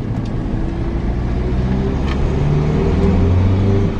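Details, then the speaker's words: Car test drive after removing a tiny stone lodged in a front brake that had caused scraping when turning; only steady low road rumble and tyre hum, no scraping or rubbing. The stone was confirmed as the cause and the noise is fixed. "yeah seems like it let's go around about a couple of times yeah that was definitely yeah yeah it's definitely fixed it sorted job done"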